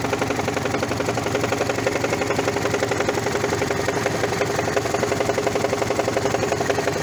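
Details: Toyota 1ZZ-FE engine at idle with a sharp regular knock about three times a second, appearing after sharp brief throttle presses; cause: flywheel collapsed, its centre cracked apart.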